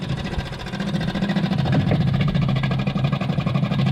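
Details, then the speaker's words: Morris Minor, transfer pump draining stale varnish-smelling fuel from the tank: fast buzzing pump speeds up with an uneven rising beat once the tank is empty; fuel pump running dry. "oh you can hear it speeding up already guessing that's sped up quite a lot i guess that's now not pumping anything at all"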